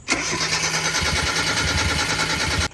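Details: Mazda NA Miata MX-5 after a camshaft swap: even starter cranking for about two and a half seconds with no firing at all; crank, no start, with no fuel reaching the engine from misrouted lines.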